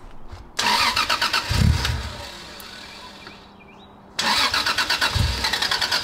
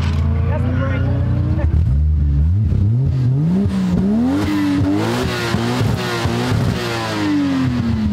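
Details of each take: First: 1990s Toyota Soarer drift car on first start after mods: cranks, catches, runs ragged two to three seconds then dies, no power on throttle; low fuel pressure from slit fuel pump hose in rusted tank; fixed hose. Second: 1990s Toyota Soarer drift car after fixing a slit fuel pump hose that caused cutting out from low fuel pressure, rusted tank still fitted: pulls cleanly through the revs, pitch rising and falling smoothly, no misfire or stumble; running healthy.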